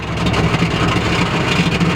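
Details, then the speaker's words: Chrysler Cordoba V8 sleeper: the exhaust popped and broke at the top of first gear at full throttle while running through the gears, and is now dragging the ground. A loud, rough, low rumble with a raspy blowing edge replaces the previously too-quiet exhaust; exhaust leak. "I think I broke the exhaust."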